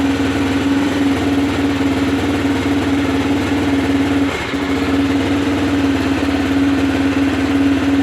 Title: Aprilia Pegaso 650 cube misfire